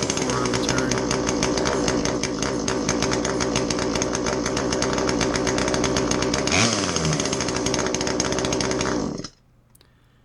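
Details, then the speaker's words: Poulan homeowner chainsaw, roughly 10 to 20 years old, with a power complaint, after clearing its plugged muffler spark arrestor screen, before tuning: steady high-revving two-stroke buzz about nine seconds, one brief rev change, clean shutdown; starts and runs, needs a little help on the low end. "how does it run now it starts and runs it needs a little help on the low end"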